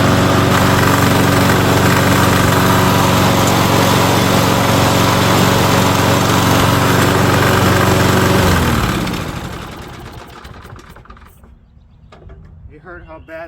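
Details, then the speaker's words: 2005 riding mower, steady engine run with rapid regular clatter about four per second that stops when foot pressure is applied and returns on release; drive gear clanking because the wheel pin is missing; also smokes badly on startup. "So, that one works barely, but you'll hear it. It clanks, but then I'll put my foot on it, it will stop, and then I let go, it will happen again."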